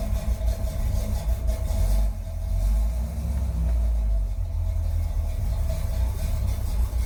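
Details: 1981 Chevy Corvette, brand-new V8 after overheating repairs: electric fan, insulated fuel line, new fuel filter and spacer. Deep, even idle with a low, steady burble, no knocks or squeals, and a slight blip midway. Normal idle.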